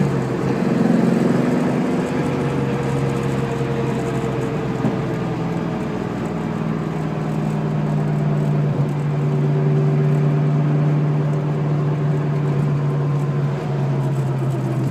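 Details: Possible S60 rear end with about 4k on it, babied with no track use or hard launches, about 400 hp at the crank; steady low whine over road and engine noise while cruising, pitch drifting with speed; owner suspects tires or bearing.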